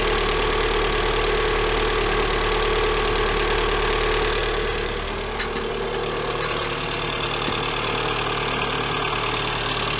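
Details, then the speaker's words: Lada Granta 126 engine at first start after a full rebuild (bored block, new bearings, 82.5 repair pistons, new timing and valves): a steady idle with a light, regular top-end tapping, about three a second, both cold and hot; a hydraulic lifter was found sitting higher than the rest. "Вот такой вот стук на холодную и на горячую. Сейчас будем разбирать. Непонятно откуда."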